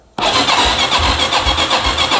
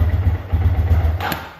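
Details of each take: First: Wilderness ATV with an ethanol-ruined carburetor, after carb work, on full choke: a brief crank, then it catches into a quick, steady single-cylinder putter. The earlier rattle was tools. Normal starting. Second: Wilderness ATV, single-cylinder, just revived after carburetor ethanol damage, with a slight backfire. It putters slowly with soft low thumps, idling noticeably low and loping; low idle speed.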